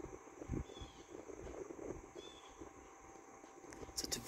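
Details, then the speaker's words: GE Vortalex 10-inch oscillating desk fan FM10V41, about 1949-1950, on low speed after a brief noise the owner thinks was the gearbox went away: only a faint steady soft whir, no rattle or grinding; quiet, normal running. "quiet on low speed and the thing that I like about this one is compared to that one that one's just really powerful in all speeds but on low speed this one's actually not too too powerful"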